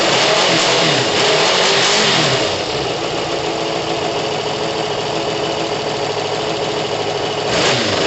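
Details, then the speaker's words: Kawasaki ZL600 motorcycle with new coils, freshly tuned carbs and valves done, first start after sitting months, not yet warm, needs coolant; engine revs hard and settles into a fast, even run with no knocks or misses, sounding healthy. "st woken up after months yeah it sounds good no it sounds amazing"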